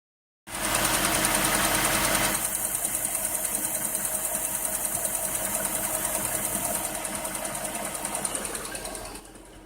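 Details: 2008 Jaguar XJ8L V8 at idle: loud, fast regular ticking, about three a second, which drops out briefly then returns, masking a second quieter ticking sound that is always present.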